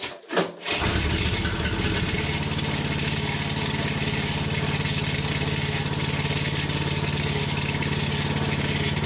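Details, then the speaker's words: Hinowa tracked mini dumper gasoline engine driving hydraulic pump, after pump coupling claw inspected and ruled out: clean start, then idle with fast even scraping tick; something inside housing hitting the cooling fan. "all right good news that was not the problem i know what the problem is now it's something hitting the fan"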